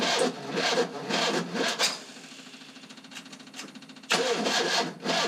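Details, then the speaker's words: 1972 Fiat 850 Sport Spider, 903 cc engine after rebuild, fuel probably separated from sitting: starter grinds in slow uneven bursts, pauses, then catches; hard starting, owner finds it wants less timing to start, more once running. "start since my rebuild I've been having trouble getting it to start but I can get we'll get it there"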